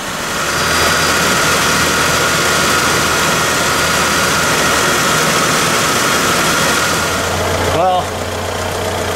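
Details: 2001 GMC Sonoma 2.2L with replaced engine, idling after coolant leak repair to check for drips: steady idle under loud hiss of fan and air rush, no knocks or misfires; normal idle, engine healthy and settled.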